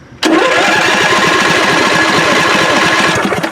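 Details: John Deere LA145 V-twin lawn tractor, battery charged overnight, cranks steadily about three seconds without catching; both plugs spark, fuel pump now squirting after being tapped, maybe intermittent. Owner suspects bad or jammed fuel pump diaphragm; unconfirmed.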